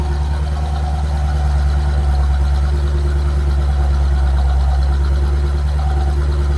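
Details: C4 Corvette after fixing an intermittent no-crank starting problem by rewiring: steady, even idle with smooth low rumble, no knocks, misses or hunting; engine running healthy.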